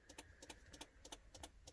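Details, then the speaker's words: 2003 Mercury Mountaineer, hood up, engine not running, alarm blinking, no start: quiet rapid paired clicks about four per second, relay chattering from a weak or corroded battery. "i don't know if you can hear there's a clicking sound from the car i have the hood up but um you can see the alarm blinking"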